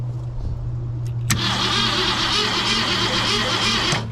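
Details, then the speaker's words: 1966 Mustang off the road since at least 1987, cranking while checking for spark: steady starter whir about three turns a second for nearly three seconds, never firing; no spark seen, though the tester is doubted and a bad ground is suspected. "that's not doing any Sparkles I mean granted I'm not super confident about that thing"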